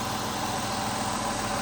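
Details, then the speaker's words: Ford Taurus revived after 7 years of neglect, with new spark plugs fitted: a steady, even idle with no stuttering, misses or the loud air hiss heard before, and no shaking in the cabin. Normal idle. "Listen to it, Josh. I don't hear any stuttering. >> I don't hear no air. >> I don't either. >> That air was loud last time."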